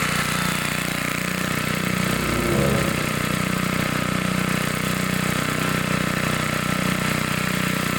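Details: 1960s Bolens 28-inch Lawn Keeper mower, carburetor not adjusted, untouched at least 15 years, mowing: smooth, even single-cylinder beat of about four firings a second holding steady under load; sounds good, normal running.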